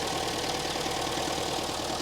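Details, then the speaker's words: 1980 Mk1 Ford Fiesta 1.1L, first start, on choke, little or no coolant: even busy patter with no knocks or misses, running longer than the previous 30-second cut-outs; normal idle. "ly run and it hasn't cut out yet because when we were trying it in London it would cut out after about 30 seconds this is actually running for a bit longer this sounds quite sweet"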